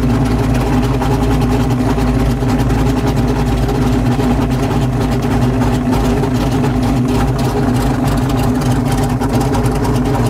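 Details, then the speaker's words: 347 stroker carbureted V8 on an engine dyno while the carburetor idle and air mixture screws are trimmed: deep, steady, even lope at idle, holding speed without stumbles, healthy. "oh what I'm doing right now is I'm adjusting the idle in the air get a little more power coming out of this carburetor"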